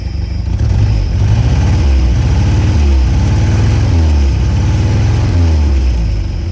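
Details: Peugeot 403 pickup engine revived after more than 20 years abandoned, running after restart: deep steady even beat with throttle blips, no knocks or misfires; normal running.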